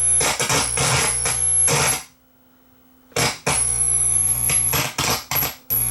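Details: Marantz 1120 integrated amplifier squealing through the speakers on all sources at switch-on: a piercing high whistle cuts in and out with crackly bursts as the plugs move. Cause is dirty shorting/ground jumper plugs not connecting.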